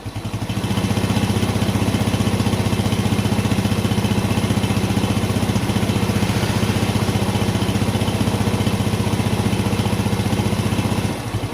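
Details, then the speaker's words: Yamaha Jupiter Z1/Vega ZR after a repair for heavy smoke (worn bore and scored piston, worn valve stems), freshly rebuilt, at light throttle: quick, even single-cylinder beat with no rattle or roughness; sounds normal again. "Nah, oke, teman-teman, jadi ini suaranya sudah normal lagi."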